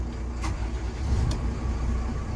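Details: FPT NEF 450 marine diesel, twin re-power in an Ocean Alexander 46 engine room, started in neutral with throttle head in warm-up mode: deep low rumble catches and settles into an even run within a couple of seconds; clean, healthy start.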